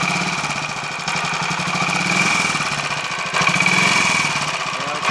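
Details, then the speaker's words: Royal Enfield 500 Machismo electric start, after fixing reversed oil-hole starter spindle and 20W-50 replacing ATF in sprag gear: regular single thumping with light mechanical clatter, no heavy knock; normal idle, much better than before. "I think I'll take that as a small win that sounds a lot better all for the sake of having one tiny spindle that has an oil hole in it not quite halfway Along being the wrong way around"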